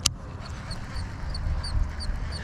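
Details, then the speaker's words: Ozark Trail black baitcaster reel while reeling in a lipless bait; thin, high chirp about three times a second in step with cranking, a persistent squeak of unknown cause. "you can still hear that squeak audibly this reel I've been fishing now with it for a while and I just cannot get it dialed in"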